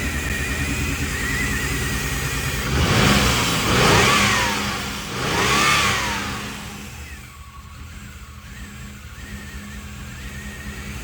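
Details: 1990 Pontiac 6000 SE AWD after 20+ years sitting, first run, intake gaskets not replaced, warming up: revs surge twice, then uneven loping idle with hollow drone, muffler rubbing and a slight miss; vacuum leak.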